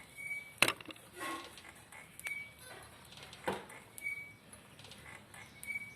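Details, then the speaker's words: Motorcycle front end pushed and released: faint high chirps every second or two; worn, overly dry rubber rubbing a painted part, not the fork; fix is grease. "então na hora do momento às vezes a pessoa se liga que aqui já sofreu um desgaste ó de borracha outra seca demais que trabalha sempre né aí faz contato com essa peça aqui ó centenas"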